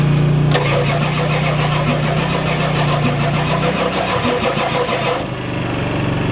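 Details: Ford F-250 XLT 7.3L IDI diesel, all 8 glow plugs connected, temporary fuel hose bypassing mechanical lift pump, cold weather: steady cranking about three turns a second, never firing. Fuel reaches bleeder screw, not injectors; owners suspect weak injection pump, shutoff solenoid untested.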